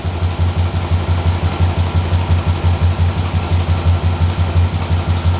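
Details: 6.0L LS-swapped S10 with fuel system clogged by rust from the gas tank: deep uneven lope at idle, heavy pulse near three a second that stumbles; one cylinder misfiring, a rear cylinder reading about 211.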